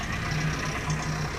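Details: 1985 Toyota 22RE after timing chain replacement, cold start idle: loose, uneven rattle on the low engine drone; owner suspects timing chain slack, not confirmed, and says it worsens as it warms.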